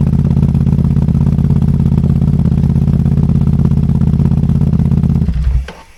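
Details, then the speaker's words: Ducati motorcycle, running badly after refuelling with engine light on, aftermarket wiring harness fitted: uneven, lumpy idle pulsing about three times a second then cutting out; rough idle, cause unknown (bad fuel or fuses suspected). "given that it's got a little bit of a rough idle um yeah it's a weird one"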